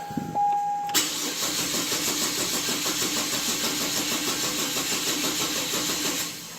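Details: 2008 Chevy Trailblazer that doesn't run, with a weak battery on a charger: a steady, even cranking whir for about five seconds with no catch or firing. It cranks but won't start, and fuel delivery is questioned.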